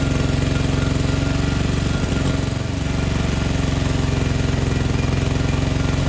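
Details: 1987 Gravely Professional 18G riding mower, Kohler Magnum 18 engine with OEM 35-year-old carburetor; lumpy idle dipping and picking up on its own as the carburetor linkage moves without the throttle lever being touched; surging from carburetor out of adjustment.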